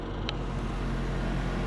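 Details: Toyota Echo small four-cylinder starting after immobilizer security light stopped blinking with original key: low, even idle holding steady with no stumbles or misses; normal idle.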